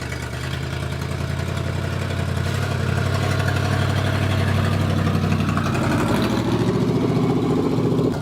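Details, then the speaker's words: 1969 Dodge Charger's old V8 first started after years sitting: steady, even idle then brief rev blip, runs clean with no knocks or misses. "so the first step got the old engine running and it fired up and actually sounded really"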